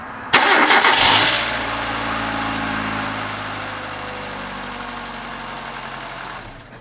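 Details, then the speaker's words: 2005 Hyundai Accent after power steering pump replacement, system nearly empty of ATF; loud high steady squeal with engine running as the dry pump draws fluid, which is sucked in when steering is turned left and right. "about that I never had the camera on it made a squealing noise and went ahead and had the motor running and turned a pump turn the steering wheel a little bit left and right and it sucked it right up"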